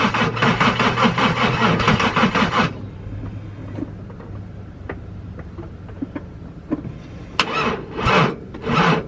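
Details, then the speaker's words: VW VR6 that won't stay running, after coolant pipe gasket repair: starter grinds slow and laboured, stops, then short dragging attempts as the battery dies; engine hesitating heavily with intake connected, cause not yet found. "battery's dead now so I gotta take the battery and get charged"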